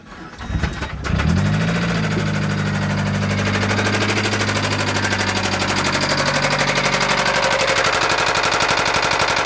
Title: 2005 MSM Rod Knock